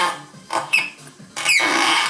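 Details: Simson S51 with a newly fitted reproduction fuel tap that turns in all directions, engine off: thin, high chirps each time the tap is twisted by hand; the tap squeaks, and the owner is unsure whether that is normal.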